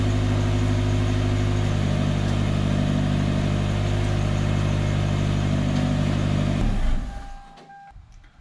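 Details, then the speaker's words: Exhaust running after patching a previously welded pipe that had likely replaced the catalytic converter: deep, steady drone with an even beat, no puffing or ticking leak, then a clean shutdown; repaired system holds pressure. "okay friends I'm going to call this job done I've got the exhaust system patched up as you saw when I put my hand on it it's holding pressure"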